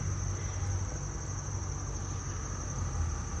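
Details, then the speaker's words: New RadonAway GP501 radon fan just installed to replace a defective fan motor: faint, steady low hum with no rattle or squeal outdoors; running normally. "I don't know if you can hear that, but you hear it. It's running. So, it's doing its job."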